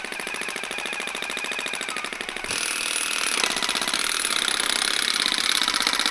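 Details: Old Makita DUN461 pole hedge trimmer after reassembling blade head, cutting; fast harsh buzzing clatter louder under load; rackety, still no torque, probably about the same as before repair, cause unconfirmed.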